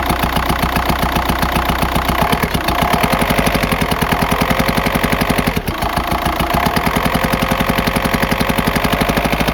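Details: 2004 VW Jetta TDI PD diesel at idle: sharp, fast, even mechanical rapping about four per second, not an exhaust leak; failed worn camshaft, worsening over weeks until the car lost speed on highway grades.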